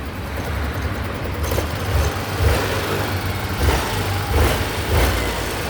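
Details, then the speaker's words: Yamaha Grand Filano scooter, 30,000+ km, after repairing a cracked valve guide and bent valves and fresh oil, idling smoothly with quick throttle blips, no ticking or rattle, no engine light; healthy at delivery. "นะก็คันนี้นะครับถ่ายส่งงานนะครับอ่ะเสียงท่อประมาณนี้นี่สตาร์ทอยู่นะครับ"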